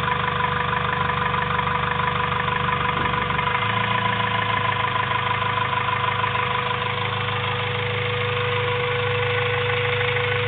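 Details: Honda Civic B16A2 turbo build (CP 9:1 pistons, Eagle rods, Supertech valvetrain) idles with a rough, uneven rhythmic noise over the steady engine hum; source of the strange noise unidentified.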